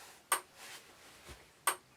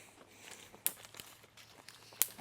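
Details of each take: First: Electric fence energizer, swapped in to replace one reading only 0.3–0.4, pulses with sharp, even single ticks about 1.35 s apart in a quiet room. Output reads 13.8–14 through the switch and feed line, with the North lot switched off. Normal pulsing. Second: Horse-lot electric fence reading only 1.7 kV at its end, with a ground fault to the west: sharp dry snaps about every 1.3 seconds over quiet outdoor background. The fence is arcing to a hard ground.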